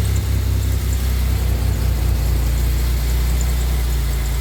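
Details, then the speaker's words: 2007 Pontiac Grand Prix supercharged V6 first startup after Gen 5 supercharger/intercooler rebuild with new heater core: steady, even, smooth low idle, no knocks or misses; slight exhaust leak heard earlier. "Intercooler's running. Nice and smooth. Sounds much better."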